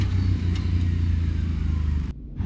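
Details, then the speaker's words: 2020 CFMOTO CForce 800 on trail before Airdam clutch kit, stock CVT clutch: deep engine drone under load sags as RPM bogs after a few feet, then climbs back. "so right here I want you to listen to the RPM we're just bogged down right there after a few feet listen to it again this is before clutch kit work listen to how it dives down right there back up"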